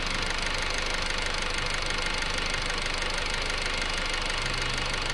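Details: 2008 Honda Civic EX at smooth idle: steady light knock about three per second from the rear of the engine, heard at different times; cause not identified.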